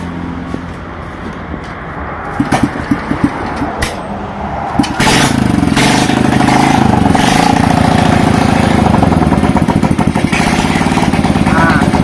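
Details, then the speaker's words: Honda Revo Fit, fuel-injected with faulty throttle body, fuel pump and sensor, converted to carburettor with fuel pump removed: after a few clicks it starts at about five seconds into a fast, even, unmuffled putter, exhaust not yet fitted; runs normally. "Prosesnya dimulai dengan normal. Kita belum memasang knalpotnya, saudaraku."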